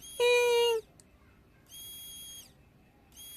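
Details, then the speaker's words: Honda Vario/Beat scooter fuel pump bench-tested: short bursts of smooth, steady high whine each time power is applied; pump runs evenly and is still usable, just weaker than a new one. "tuh suaranya juga nging nging. Tapi kalau yang ini yang baru cer beda dulur."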